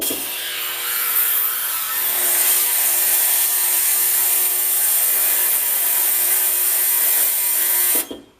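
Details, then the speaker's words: Ultrasonic carb cleaner, about 2 years old, that had stopped working, after opening and repair: steady bright hiss with even buzzing for eight seconds then clean cutoff, temperature reading good; running normally, seems fixed. "Actually seems like it's running a lot better. So yeah, seems like it's fixed."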